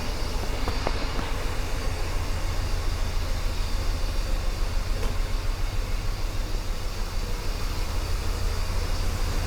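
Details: Mercedes 560SEL V8 after new spark plugs and wires, started for the rough idle at stops: deep low idle thump about three and a half beats a second with an uneven, loping pulse; still idling rough, not fixed.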